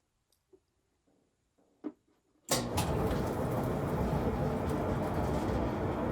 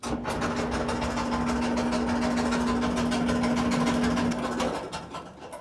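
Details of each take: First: Kenmore (Whirlpool) dryer after replacing the idler pulley, tensioner and belt from a repair kit: steady, even tumbling rumble with no squeal or thump. Normal dryer operation, much better than before. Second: Kenmore (Whirlpool) dryer running before repair: steady low drone with rough, rhythmic thumping.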